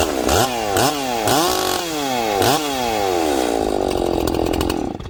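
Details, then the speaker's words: Freshly ported Echo 670 chainsaw on its first cut, 25-inch bar, 3/8 chain, low jet leaned about a sixteenth turn, run rich for break-in: crisp throttle blips then a strong steady pull in the wood; normal running under load. "okay this saw is nice and rich so i'm gonna cut with it rich uh if it doesn't four stroke in this cut i'm actually gonna make it richer"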